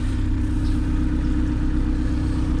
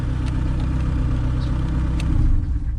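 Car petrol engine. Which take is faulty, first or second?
second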